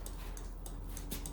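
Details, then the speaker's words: Turn signal flasher in a fully rewired truck while driving, brakes on and off, relay board not in circuit; crisp, even clicks about three per second over a quiet cab; flasher cycling properly, signals work front and back. "You hear the click. It's got a nice click to it. Turn signals work just as intended without brakes."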